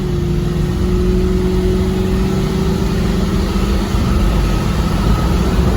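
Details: 1976 Chevy K10 with junkyard LS swap, first drive after 20+ years sitting: deep, steady V8 drone pulling evenly under load, no knocks, misses or whine; healthy acceleration.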